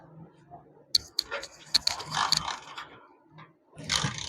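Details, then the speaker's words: Motorcycle kicked over after a first fault was fixed; sharp irregular snapping clicks as current shorts at the spark plug cap, engine never catches; shorting stops starting or causes misfire. "ये प्यारे भाई ये आवाज है basically current सेटों पे शॉर्ट हो रहा है, शॉर्ट हो रहा है। करंट सेटों पे शॉर्ट होगा तो तब भी आपका मोटर बाइक स्टार्ट नहीं होगा।"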